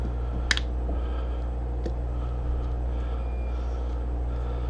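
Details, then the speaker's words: Refoamed Hollywood Sound Labs 10-inch subwoofer playing signal-generator tone while gasket is clamped, to keep cone centred: steady low hum with clamps clicking nearby; cone plays cleanly, no rubbing or buzzing. "so I'm going to go ahead and I'm going to turn my signal generator back on, just because I want to make sure when I'm clamping this I don't accidentally pull it off to the side."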